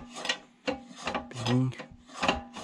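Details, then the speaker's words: Stiga Villa ride-on mower, during drive belt work: a dry rasping scrape in short bursts each time the clutch pedal is pushed, from the clutch linkage rod rubbing as it moves up and down; holding the rod still stops the noise. "rod here that moves like up and down, that's making the sound. Now this rod can't move. Noise is gone."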